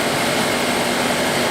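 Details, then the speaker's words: Ford truck with EEC IV ignition, after replacing the distributor, cap and rotor for a No. 2 cylinder misfire: even, steady idle with no misses or stumbles; runs smoothly, no misfire. "it just even sounds smoother all right so to get the same thing just raise the rpm a little bit"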